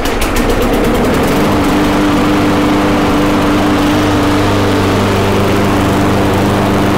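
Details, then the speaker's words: Briggs & Stratton Quantum mower engine after final governor adjustment, close-up mic: steady high-speed drone at even pitch with faint irregular spitting; governed speed correct, carburetor needs fine tuning. "so it's spitting back and forth a little bit because it needs to be tuned a little bit better but the engine speed is good to go"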